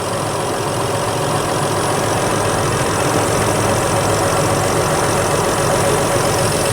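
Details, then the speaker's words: 2011 Chrysler Town & Country 3.6 L after AC compressor replacement: even, steady idle with the AC clutch engaged, no knocking, squeal or grinding from the compressor; normal idle with AC on. "so as you can hear the engine is running everything sounds good we're good to go"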